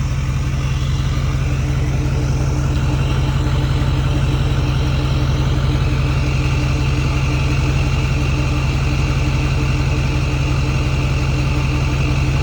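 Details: Ford F-350 6.4 Powerstroke after installing new billet-wheel turbos, idle raised by foot from about 780 RPM toward 1,100 RPM: even diesel clatter with faint steady turbo whine; turbos healthy.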